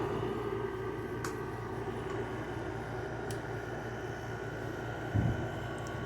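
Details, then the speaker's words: LG 6000 BTU window air conditioner with a GMCC rotary compressor, starting up on low fan: steady low hum with a soft refrigerant hiss and no knocks or rattles. Normal running and cooling; ice on the lines is normal. "hear the um refrigerant um hissing a little bit here the going through a little bit oh yeah that's coming down nice and cold"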